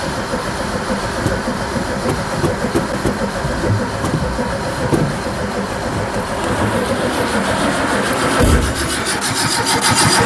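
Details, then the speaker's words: Barn-find Zastava 850, often mistaken for a Fiat 600, left stored for years, with a little fuel poured into the carb and a weak battery: the starter churns steadily for about ten seconds but the engine never fires; crank, no start, apparently no spark. "I put fuel in there but it seems to be no spark"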